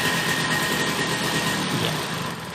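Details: Vespa two-stroke after carburettor adjustment, throttle blipped: buzzy engine revs cleanly and settles back without bogging or coughing, indicating a correct carburettor setting.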